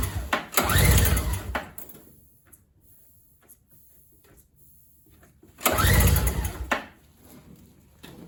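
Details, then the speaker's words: MTD 4.5 21 single-stage two-stroke snowblower (oil-gas mix), likely sat unused for a couple of years: primer makes no sound of fuel reaching carburetor; two short pull-cord cranking bursts, engine never fires; likely no start from fuel starvation. "so right off the bat this does not have the correct sound i can't hear any gas going into the carburetor when i push the primer so that's a bad i guess a bad sign for starting purposes"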